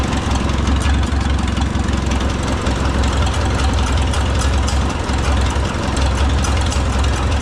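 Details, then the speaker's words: Oliver 66 tractor with replacement Marvel Schebler TSX carburetor, idle mixture screw backed out after turning it in made the engine labor: deep, steady, even idle with firm exhaust beat, no laboring or hunting; normal idle, mixture set right. "There's a subtle change in the note of the exhaust. Hear how the engine started to labor. So then you back your idle screw back out until that labor goes away."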